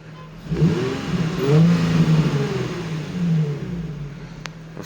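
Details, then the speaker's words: Nissan 350Z V6, warm, revved with auxiliary belts removed: revs climb and fall cleanly with smooth note and no knock; earlier knocking suspected from a belt tensioner or pulley, engine healthy; possible vacuum leak suspected. "So, that means no engine problem. It's warm and it's running perfectly."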